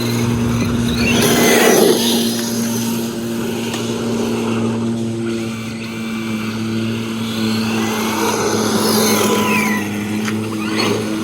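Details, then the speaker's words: Arrma Granite RC car with a cheap Amazon slipper clutch and a brushless system: the motor whine climbs on acceleration but the car doesn't pull harder or wheelie, because the slipper clutch is slipping. "so even the terrible acceleration it's got right now it still won't wheelie because of that slipper clutch you see it start moving and then you hear the slipper clutch giving up"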